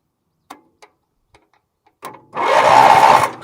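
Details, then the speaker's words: Bargain Wheel Horse 308-8 garden tractor, rusty ignition, in neutral, being jump-started: a few clicks, then about a second of steady, even starter whirr turning the engine over freely. Normal cranking. "okay so she turns over nice so I'm going to turn this to run"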